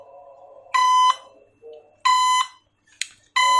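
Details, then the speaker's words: Drone after a bird strike and auto crash, with a broken gimbal and possibly something loose inside: three shrill beeps about a third of a second long, spaced about 1.3 seconds apart, from the drone's motor fault warning. "Kalian lihat, kalau motor bermasalah dia pasti akan bunyi. Ini bunyi dari sini. Kalau motor bermasalah pasti dia akan ada indikator bunyinya ya."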